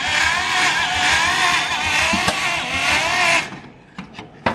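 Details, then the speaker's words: Abandoned 1950 Dodge Pilothouse truck with flathead six, stuck rings: steady rhythmic starter cranking about three beats a second with no firing; cranks but won't start. Owner plans to soak the cylinders with ATF overnight. "just doesn't want to live oh all right i may call defeat for tonight call it an early night"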